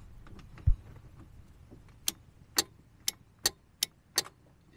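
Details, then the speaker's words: 1974 VW Beetle out of commission for 5 years, new battery terminal fitted: sharp relay clicks behind the seat about every half second with no cranking; starter relay clicking, no crank. Suspected ground or battery connection issue; wiggling the ground wire made it go. "I I can hear a relay kicking behind the seat come on in here give me a hand that must be the starter relay right there I can hear it"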